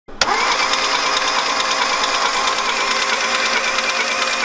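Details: VW Polo 6N 1.0-litre engine cranking fast and evenly with no compression beat slowing it; no compression, valves suspected burnt, not confirmed.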